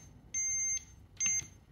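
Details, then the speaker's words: Gann BL B2 moisture meter with its alarm limit set at 24.9: two short high-pitched beeps when a reading passes the limit; limit alarm beeping. "now when I take a reading you'll hear that little beeping sound I've reached my limit"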